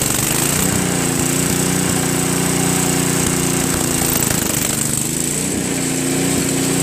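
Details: Craftsman 522 snowblower with Tecumseh engine, sat for years: single-cylinder idle with a slightly uneven, hunting beat, staying running only on choke or half choke; owner suspects fuel starvation from a hardened, collapsed fuel line. Auger doesn't spin.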